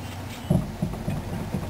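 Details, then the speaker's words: 2001 Chevy Prizm LSI, driver's-side rear: dull low thuds, about five in two seconds, as the wheel is rocked by hand; a worn, loose wheel bearing causing a slight rumble at 55 mph. "Because those are still tight on there. So I think it's going to be a bearing that's a problem."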